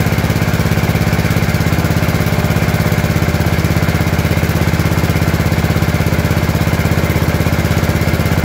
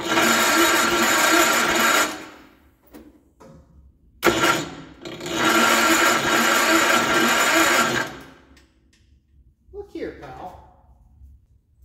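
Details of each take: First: Gravely 814 single-cylinder tractor that sat outside for years, restarted after an oil change. Strong, steady, even low thump at about 200 beats a minute: running normally. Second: Gravely 814 tractor that sat outside for years, after fitting new points and condenser: two long bursts of steady starter cranking without firing; still no spark and no power from the points.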